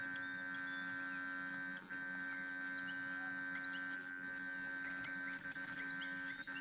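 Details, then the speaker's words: ZMZ 405 engine with the ignition on and the engine off: steady electrical hum at an unchanging pitch, source unclear; owner says the ground is fine. The car surges, stalls and pops when running. "сейчас зажигание включено Да вот слышите гудит масса Здесь всё чётко"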